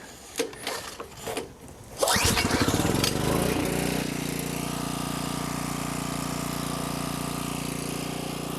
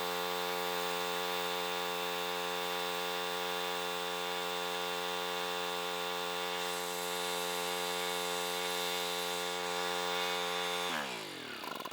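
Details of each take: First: Homelite 1800 W generator, Subaru engine, revived after about 12 years unused, warm start with half choke after speed adjustment: catches after a few pulls, settles into a steady, even run without misses or knocks. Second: Homelite 1800 W portable generator, Subaru engine, revived after sitting about 12 years, running with a lamp load and frequency meter: steady even drone, a touch flat and slow, then winds down; engine speed low, confirmed by meter.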